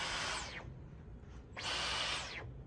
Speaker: oh it makes a cool noise too sounds like a laser gun yeah you hear that yeah so I guess it already comes with a bit of charge in it